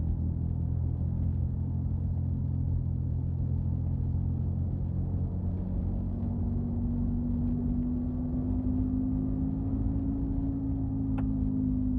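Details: 2005 Subaru Outback: a steady low hum fills the cabin while driving, with a faint tone that swells and fades midway; humming and rattling noise while driving.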